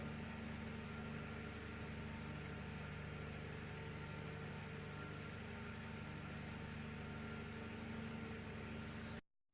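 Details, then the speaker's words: AC fan motor salvaged from a broken room heater, bench-tested on a variac at 230 V, above its 220 V nominal: quiet, steady mains hum with an even soft whir, no scraping, ticking or wobble; works nicely, normal running. "let's go 230 volts so even if this voltage Namur works nicely no problems at all"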